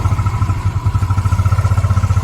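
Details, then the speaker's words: Yamaha Mio 125 scooter, very cold engine on a cold day, after carburetor cleaning and air-screw retune: quick low putter that wavers slightly, then evens out; self-revving now gone but idle still unsteady, diaphragm set due for replacement. "ก็ดีขึ้นนะครับอาการเร่งหายหายไปแล้วฮะจากตอนแรกมันจะเร่งมากเลยนะครับแต่มันยังเดินไม่ค่อยนิ่งเท่าไหร่ครับผม"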